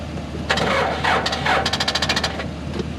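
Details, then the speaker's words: Backhoe after a squirt of ether: the starter gives a fast run of sharp clicks but will not crank because there is not enough battery power. It is left charging before the next try. "You hear that clicking? That's a starter. That's a starter clicking. It doesn't have enough power to crank."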